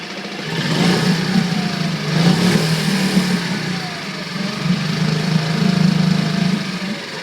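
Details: Coleman 5hp outboard, after the throttle cable clip was removed (it previously lagged 2-3 seconds at half throttle): revs rise and fall promptly in several blips with no lag. Throttle response is now normal.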